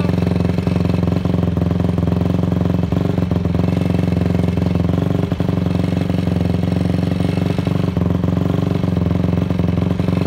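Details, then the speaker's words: Honda CRF250 just reassembled, started on choke: steady single-cylinder idle with a light, fast tick over the thump; the ticking is the chain sitting on the rear axle, not an engine problem; normal idle. "that kind of like ticking noise is not the bow there's no problems it's because the chain is sitting on the rear axle"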